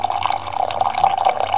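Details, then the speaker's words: Keurig coffee maker that showed a prime error, pump previously spinning without drawing because of a vacuum in the reservoir, now fixed: even buzzing pump with gurgling water drawing from the reservoir, no straining; pump working normally. "the important part is you can probably see the water going down and that noise that's the pump"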